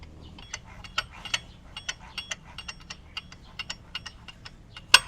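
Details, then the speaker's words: Yamaha Mio Soul i 125 scooter, hard starting when hot: light, sharp metal-on-metal ticks about twice a second over a faint hum. The sound seems to come from the tensioner, not the magneto; cause unconfirmed. "Ayan oh bakal sa bakal kasi"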